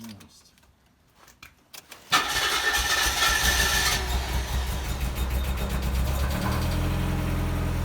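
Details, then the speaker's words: 1991 Mazda Miata Special Edition starts instantly and settles into a steady, even idle. Oil pressure rises well and the oil was not checked beforehand. Normal start and idle. "Wow, it jumped right into purring. Yeah, oil pressure went up nice. Wow. Yeah, Wow, does that thing sound good?"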